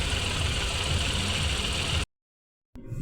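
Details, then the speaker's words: Renault Kwid engine after head overhaul and new piston rings to cure misfire, low pickup, poor mileage and check engine light; restarted after repair, smooth even idle with steady low hum, no knocks or stumbles; normal idle. "बंद करो start करो starting तो देखें बस perfect तो guys देख सकते हैं फाइनली हमारी गाड़ी हो गई है रेडी"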